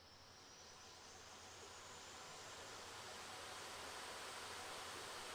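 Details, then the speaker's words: Casper Excalibur G900 gaming laptop (i7-11600H, RTX 3060) with fan boost switched on; steady loud rushing whoosh swelling slightly in level and pitch, helicopter-like: normal cooling fan noise at full speed. "fanın ayarını açtığınız zaman resmen helikopter gibi ses yapıyor"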